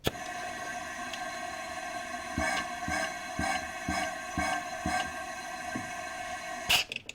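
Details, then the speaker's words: Misfire troubleshooting, cylinder fed compressed air: steady hiss of air escaping out the turbo; leaking exhaust valve, blown head gasket still possible, cylinder head coming off. "so we got a valve leaking unless we blowed the head gasket now that could be a possibility too"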